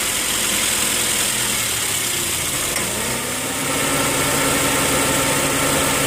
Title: 2008 Honda Fit Sport M/T Engine Knock